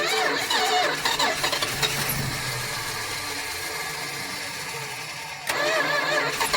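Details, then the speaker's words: Barn-find 1976 Dodge Dart, stored since 1997, gas poured into carburetor: cranks, catches, runs rough a few seconds then fades; fuel starvation. "All right, give it a crank. I guess I should pour it in while it's running."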